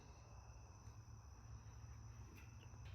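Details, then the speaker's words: Mitsubishi Evo X, transmission removed: the old OEM clutch throwout bearing spun by hand gives a faint, thin, chirpy gritty whir, worn and to be replaced with a new OEM bearing. "Yeah, it's not supposed to sound like that. That's bad."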